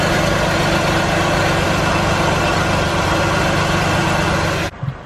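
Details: Car idling after an exhaust leak was repaired with wrapped exhaust repair tape: steady, even low rumble with no puffing or ticking. The exhaust is sealed and now quiet.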